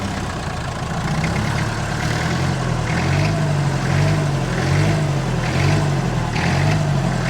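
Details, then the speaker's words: 1962 Lansing Bagnall diesel forklift with Perkins engine, bought cheap as non-runner, on test drive running from a small fuel can; engine hunts, revving itself up and down about once a second; air getting in fuel suspected, cause not found. "Oh, no, it's revving itself up again."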